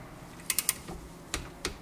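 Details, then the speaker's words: Torque wrench set to 20 tightening a bolt that was very tight and needed hammering to seat the socket: three sharp metallic clicks in quick succession, then two more, the wrench breaking over at set torque; bolt tightened correctly. "And then I start this my toa and this is 20 and we then we wait that we hear this click in that tool. This to friends tool makes sound click."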